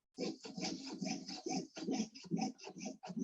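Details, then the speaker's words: Jewellery sawing with long, even strokes, moving the metal rather than the blade: a gentle rasp about two per second with no high-pitched squeal. A squeal would mean the metal isn't held securely or too much pressure is applied. Normal sawing. "the long strokes now you can also hear that it's just a gentle soaring sound there's no um you know high-pitched squeal if you hear that you know something's wrong"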